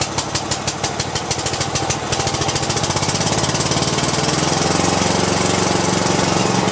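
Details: Cub Cadet i1050 zero-turn, Kohler engine left outside for years, after new pushrods, fresh treated fuel and new switches: uneven thumps as it catches, then a steady even beat that smooths out; running normally.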